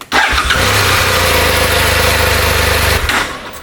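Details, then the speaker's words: 2009 BMW F800ST with dead instrument cluster, ignition on, fuel pump primes: brief crank then twin catches at once and settles to steady even idle; starts perfectly, engine normal. "The bike starts perfectly,"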